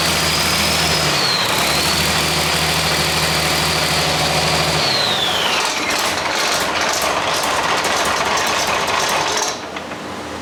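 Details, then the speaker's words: Catastrophic-failure Chrysler 6.4 HEMI V8 with a known spun bearing, possibly a bad injector: fast metallic rattle over a steady idle, roughening as revs shift; runs, rattling suspected from bottom end. "IT'S ALL that rattling. It runs."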